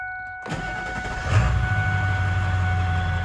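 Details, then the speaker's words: 1999 Ford F-350 SuperDuty XLT 4x4 dually, 7.3 Powerstroke diesel, 88k miles: a quick crank, then it catches right away and settles into a steady low idle rumble with no knocks or misses. Normal start. "it starts right up"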